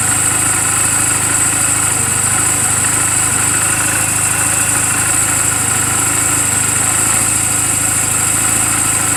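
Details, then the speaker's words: 2007 Honda Rebel 250 idling in neutral just after an oil change and valve clearance adjustment; smooth, constant idle with a faint steady hiss, no knocks or misses. Owner says it runs perfectly, with good mechanical condition and only cosmetic flaws; normal idle. "what the motorcycle should sound like on what the valve should sound like to make sure you don't hear any it sounds like this this motorcycle is running perfectly I just now changed the oil did the valve clearances"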